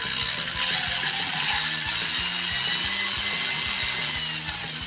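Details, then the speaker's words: Restored vintage Tamiya Grasshopper RC car with a 21-turn motor and 18-tooth pinion: a high motor whine with rapid, uneven clicking, loud when driving forward but fine in reverse. Gears look undamaged, so pinion-to-spur mesh is suspected. "if we go forward you'll be able to hear how loud it is the clicking noise yes it seems to be fine in Reverse but when you're going forward"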